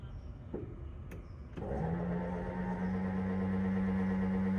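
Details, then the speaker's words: 1969 Mercury Cougar XR7 convertible top pump, switched on via the dash top switch with the top helped back by hand: clicks, then the motor settles into a steady, strained low hum; labouring, cause not yet found. "the pump runs oh try and help it go back a little bit it's trying I'm not going to I'm not going to burn that that motor out it's trying now"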